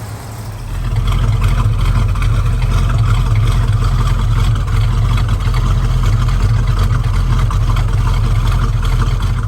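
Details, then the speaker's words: 1971 Dodge Charger R/T, 440 big block, after a cold start following over 4 months of sitting, carb needing rebuild: low lumpy big-block chug settling into a smooth, steady idle after a brief blip, even firing, no knocks or misses; normal idle. "but uh as you can hear it's running excellent nice and smooth got the nice big block chug i love this car"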